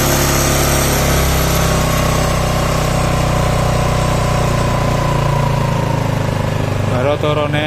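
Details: Yamaha Mio Sporty scooter after rebuild for lost compression (previously no compression, light when kicked), leftover oil in the exhaust; steady even idle with smooth low beat, settling lower as throttle is lowered; runs clean with no knocks.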